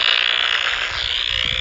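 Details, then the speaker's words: Power-line noise heard on an ICOM R30 receiver: steady harsh raspy buzz over a bright hiss; owner suspects a bad or loose ground or a lightning arrester, and shaking the ground only sometimes helps. "But right there is the issue. It's either a bad ground or a loose ground or a lightning arrestor."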